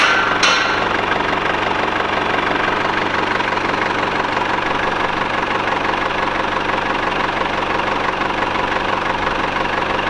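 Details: Mercedes W210 E220 CDI, after a Bosch crankshaft sensor replaced the faulty one (warm-engine stall and crank-no-start, codes P1354): a steady diesel clatter at idle with an even beat and no stumbling. A healthy idle.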